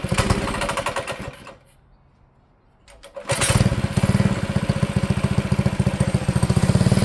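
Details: Manco Streaker mini bike engine on throttle: revs, sags and nearly dies, then picks up and pulses unevenly; only runs well on choke, lean carb bog, cured by a richer 125 jet.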